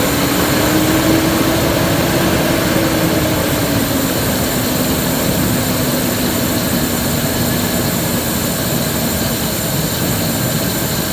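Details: 2001 Ford F-150 5.4 2V Triton petrol V8: rough idle with loud steady hissing whoosh and wandering low hum, sounds stifled as if not getting enough air, idle dies; cause suspected.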